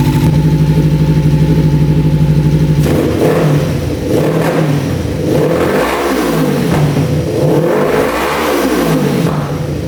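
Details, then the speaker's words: 1988 Kawasaki Ninja EX500 after a fuel fault was fixed by bypassing and plugging a vacuum line: it idles steadily at about 1500 rpm, then revs cleanly through several blips with no stumble or bog; healthy. "yeah that sounds so much better so we're going to put everything back together and attempt to take it for the first ride hopefully it doesn't bog"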